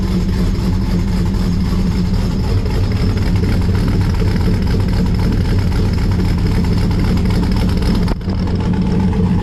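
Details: 1955 Chevy Bel Air four-door with LM7 5.3 V8 and Comp Thumpr cam, awaiting remote tune: deep, steady rumble with a mild rhythmic lope, even unbroken firing; healthy cold idle.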